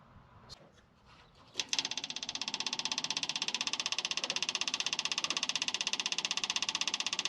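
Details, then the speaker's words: Temporary small electric fuel pump feeding a new carburettor on a 1971 International Harvester 1110 pickup with the AMC 232 engine, before the first start. An even, light ticking about four per second quiets as pressure builds; normal operation. "you can hear the fuel pump quieted down so now it's a it's got resistance against it"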